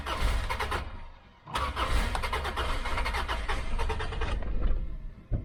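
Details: 1995 Subaru after replacing a fusible link burned out by reversed battery cables, not started for a few days: a long steady crank churns several seconds, pauses, then cranks again and catches; starter and ignition working normally.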